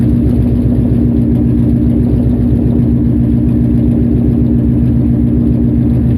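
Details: Nissan VH45DE V8 idling with an uneven, stumbling low thrum and loping beat instead of a smooth hum; misfire.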